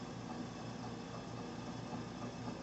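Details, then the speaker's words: Walnut Medical home fill oxygen system filling a B or D tank: a steady low hum with soft, even clicks about twice a second as oxygen is drawn from the bottom concentrator into the cylinder. This is normal operation. "you can hear there's a clicking going on because that is the uncle system now working taking the option from the bottom unit coming into the home field and putting it into the cylinder connected to the home phone system"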